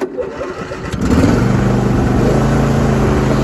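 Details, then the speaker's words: John Deere D130 hydrostatic lawn tractor, 22 hp twin-cylinder, 271 hours, electric start. Short crank on choke, catches within a second, then settles into a steady, even run: a healthy cold start. "I'll start it up, give you this demonstration, give her some choke, just"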